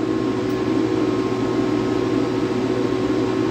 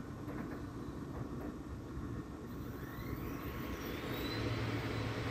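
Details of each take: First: Air-cooled dual 2.7 GHz Power Mac G5 whose CPU may have been wet, booting into ASD: loud, steady rushing fan whoosh with a constant hum and no speed changes, fans at full speed; suspected logic board fault, since only CPU0 is detected. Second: Air-cooled dual 2.7 GHz Power Mac G5 after a suspected bad CPU was swapped: fan rush builds smoothly as it powers up, with no earlier droning hum and no startup chime, but it boots. Normal boot, no humming.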